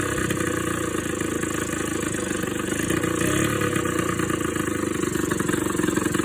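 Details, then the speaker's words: Suzuki LT80 two-stroke ATV just after a top-end rebuild with new cylinder and piston, pressure-tested at about 120 psi, started once the fuel was turned on. It fires up crisp and buzzy and holds a steady, even run with a small rev rise: normal, healthy running. "That would have turned the fuel on, wouldn't it? That's better sounding."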